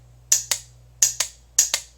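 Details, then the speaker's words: Motorcycle ignition relay bench-tested with 12 V applied to its terminals during hard-starting troubleshooting: three pairs of crisp, even clicks, each pull-in and release clean and identical, with a slight spark possible; the relay switches correctly. "the relay inside working correctly"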